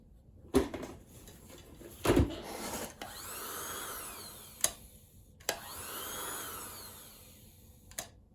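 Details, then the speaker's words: Kenmore Sensor Sew 70 (385.1950280), early electronic sewing machine just freed from a lock-up, first power-up on the foot pedal: motor whirs up, winds down after a second or two, then restarts with clicks; owner suspects an overload trip. "that's weird it starts and it stops you know what this could be this electronic machine and it's one of the early electronic machines so it may have a type of overload"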